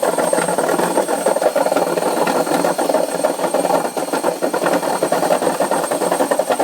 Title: Noisy Washing Machine #2